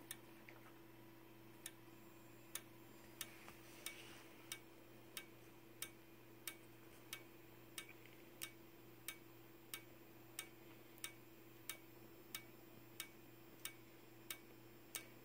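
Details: Simplex 4903-9219 strobe, 15 candela, battery powered: sharp, even ticks at 60 flashes per minute over a constant high-pitched whistle from its capacitor. Normal strobe operation.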